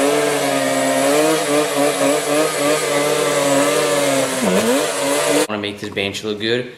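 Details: Yamaha Banshee two-stroke twin that sat 7 years, after carburetor and fuel line cleaning fixed running then dying and leaking fuel, gives a crisp steady buzz, holds revs with a brief dip, and now runs cleanly.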